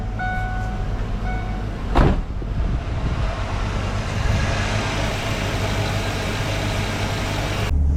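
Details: 1995 Mustang GT V8 after distributor replacement and timing set with timing light: steady, even low rumble with no misses or stumbles; idle smooth and settled.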